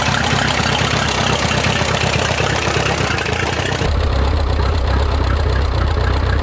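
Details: Minneapolis Moline 335 tractor, rebuilt engine, first ride after restoration: uneven, stumbling beat with irregular firing over a low rumble. Owner says it runs rough and needs tuning, possibly timing.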